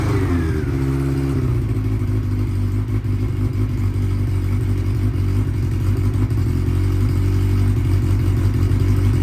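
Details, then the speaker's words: 1992 Honda Nighthawk 750, unridden 2–3 weeks and idling high on its last ride: an even burbling idle that sags in pitch over the first second, then holds steady as the idle knob turns it down. "Yesterday took it out, and it was out on a little high, so we're gonna see what's up with that, fix it if need be, check the gear shifter, make sure everything's shifting accordingly, and we'll bring y'all along for that."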